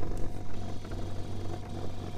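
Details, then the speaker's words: DIY kayak trolling motor build on battery box, running about 4 to 4.5 mph on calm water: steady low drone with a buzzy shake riding on it, cause unstated. Motor vibration. "I'll show you the wake that we're putting off mr. vibration probably hear that"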